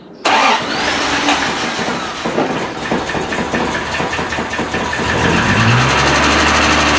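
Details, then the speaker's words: Triumph TR6 started after sitting all winter in storage, fuel pump primed with the priming lever to refill the carb bowls: brief crank, then it catches at once and settles into a steady, even idle; normal cold start. "all right good old tr6 hop it here runnin again"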